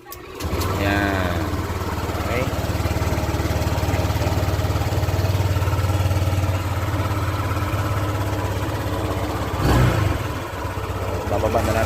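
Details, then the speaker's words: Honda Click 150 with a hard start and loss of compression, just rebuilt after a broken valve, idle lowered slightly: steady low putter, faintly uneven and a little rough; ECU reset with diagnostic tools still to be done. "And medyo mag-aralgal yung andar."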